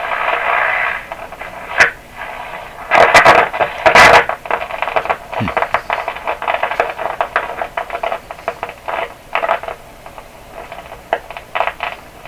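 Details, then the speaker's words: 1929 Victor RE-45 radio, heard through the speaker: irregular crackles and sharp pops burst over hiss, in louder clusters, while the #27 detector tube is being suspected and swapped; it still pops at lowered voltage; intermittent fault, cause not yet found. "well we're still on that so it's it's popping but in fact I'm still on the dim lights you can see them there so it's popping with the lower voltage"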